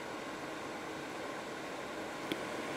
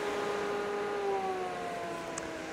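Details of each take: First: Expella EC inline exhaust fan turned up on a poor duct run at the same power as a prior fan: steady, even rush of air, smooth hiss, no rattle or whine; about 65 L/s, running fast and healthy. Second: Inline mixed-flow bathroom exhaust fan with excess flexible duct scrunched onto the fan instead of cut to length: steady hum whose tone sags slightly as airflow is choked; flow measured down to 81.8 L/s.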